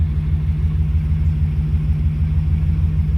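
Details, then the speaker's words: 1956 Dodge with new mufflers, idle having fixed itself: low, even burble with soft steady pulses, nothing rattling or blowing through; quiet, normal exhaust idle. "also the idle fixed itself I'm I'm pretty sure I said that already look how quiet it is"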